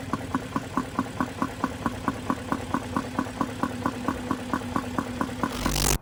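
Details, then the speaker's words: BMW E39 540 V8 at idle and light rev: sharp, even tick about four to five times a second that rises with revs; owner suspects stuck valve or vacuum-like sound, not metal on metal, cause unknown. "and to me it sounds like it could be like a stuck valve or something like that because it almost sounds like a choke it doesn't sound metal on metal that it sounds like a vacuum"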